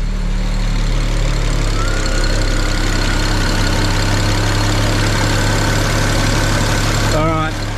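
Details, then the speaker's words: BMW E90 335i N54 after a thermostat housing oil leak fix, with bad old oil and a worn-through plastic-end oil filter; a slight rattle on startup is possibly from low oil pressure. Steady, smooth idle with no knocking. "Little bit of a rattle on startup, but that could have been just because it was low on oil pressure. Engine sounds okay. Well, no different to before."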